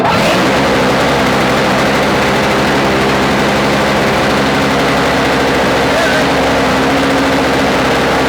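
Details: Toro 17-inch two-stroke snow thrower after swap to an engine from an old Snapper, electric-started; steady even buzz with no misses or surging, healthy and settled; normal running.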